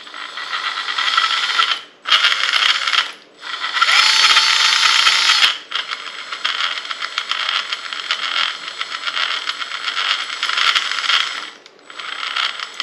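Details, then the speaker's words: Carisma SCA-1E Toyota Tacoma TRD Pro RC crawler, first drive: high rough gear whir with ratchety rattle in bursts; not smooth, owner suspects too little grease in gearbox. "sound very smooth the Range Rover sounds like Silk so all I can think is that there's not a lot of grease in there"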